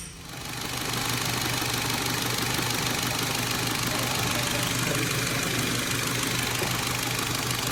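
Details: VW Polo 1.8 TFSI GTI after repair for P0011/P0341 camshaft timing codes and engine rattle, camshaft oil control valve and adjuster magnet replaced: steady, even run with a smooth low hum and light valvetrain chatter, no rattle; normal running.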